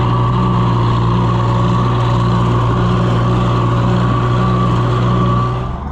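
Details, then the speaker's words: Oliver Super 66 tractor, first PTO work since pulled from the woods, pulling a bush hog under mowing load: steady low throb holding even speed with a constant hum as the governor kicks in; runs beautifully under load. "It runs beautiful under a load. Whenever you get a steady flow of grass in it, you could just hear it. I mean, the governor would kick in and it ran perfect."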